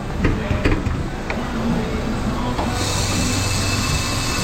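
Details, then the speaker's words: Engine left idling with the window down, vent air reading 60-66 with hot air coming out; a loud, steady, high-pitched hissing scream rises over the idle from the AC compressor, whose pressure is yet to be checked. "that compressor's screaming. You hear that thing? Yeah, that's a little loud."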